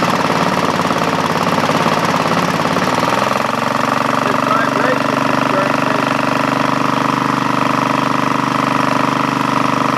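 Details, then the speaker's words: Craftsman GT5000 lawn tractor twin after Woodruff key replacement: catches and settles into an uneven, lumpy beat with heavy drone and strong vibration, smoking a lot; compression good at about 150 both cylinders, cause not found. "vibration power that Vibra could vibrate like that wrong okay eggerts what could be wrong what could possibly be wrong"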